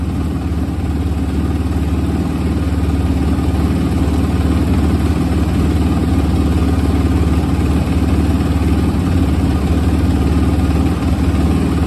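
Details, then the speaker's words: 2006 Suzuki RMZ250 carbureted single after sitting, following valve clearance check, carb clean, tune-up and fresh gas: steady, even thump at idle with no misses or stumbles; clean, healthy idle. "The idle is beautiful now. For a carbureted bike at that, y'all."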